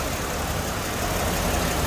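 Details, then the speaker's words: Mercedes-Benz W203 C240 with M112 engine, about 70,000 km, after a half engine overhaul, cover removed: even steady idle hum with no stumble, skip or dip, almost no vibration felt by hand; smooth idle, no misfire. "kalian dengerin suara mesinnya halus dan ini baru ini Oh saya tempel di tangan saya sama sekali Getaran tuh Hai arti ini masih jorok sangat normal tidak ada pincang sama sekali"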